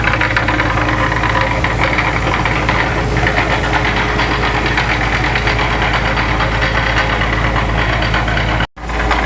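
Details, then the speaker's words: Sewage pump test run after propeller refit and gearbox oil refill: loud steady running with constant light rattly gear chatter, nothing irregular; a little chatter normal for these gears. "got a little chatter to her, but you're gonna have that with them gears."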